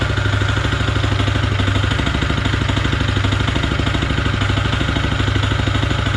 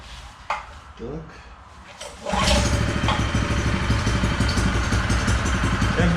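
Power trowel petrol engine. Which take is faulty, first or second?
first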